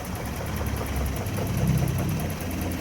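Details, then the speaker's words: BMW E30 M10 engine still misfiring after swapping the CDI and confirming valve clearance good; fuel pressure normal. Low lumpy idle, stumbling and shaking, won't rev. Misfire, rough running. "gasnya ini berebut nih. Oh, getar sekali ini. Gak mau naik lagi."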